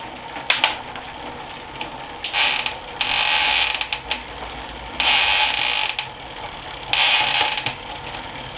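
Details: Planet X Pro-Carbon road bike in the workstand during a gear check: bursts of fast, even freewheel ticking with clean gear changes and no grinding or skipping. The gears work, though the rear shifting is a little sticky.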